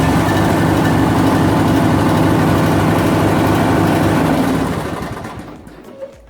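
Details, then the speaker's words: MTD Yard Machine riding mower, 17.5 hp Briggs & Stratton, 42-inch deck, after replacing a blown fuse under the panel that caused a no-crank: engine fires, runs smooth and even, then winds down cleanly; fixed. "So it looks like we are back in business. That's all it was just a fuse underneath that panel."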